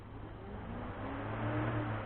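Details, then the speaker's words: 2000 Ford Mustang V6 with Barra FG engine swap, key on with engine off: electric cooling fan whirs up to a steady, even hum with no rattle when the factory fan signal is overridden via a relay at the CCRM. "i'm overriding you heard it run the factory signal with one wire"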